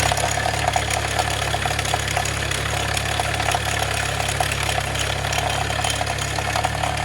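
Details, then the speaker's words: 2004 Chevrolet Malibu Classic at idle, worsening over a weekend parked: fast, uneven metal-on-metal clatter like loose change from the top end; owner suspects timing chain hitting the valve cover, not yet verified. "That is not supposed to sound like that. That sounds like Mr. Timing Chain smacking the top of the valve cover."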